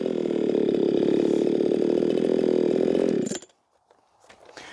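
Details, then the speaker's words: Ported Echo 4910 chainsaw tuned to 14,800 RPM, cutting wood: strong, even scream holding about 11,500–12,000 RPM at its own pace, about 9,700 when pushed, then shuts off cleanly; well-tuned and healthy. "This is an awesome saw that I should be using much more often, because whenever I dogged it in, it was about 9,700 RPMs. However, whenever I was letting it just eat at its own pace, it was back and forth between 11.5 and 12,000 RPMs."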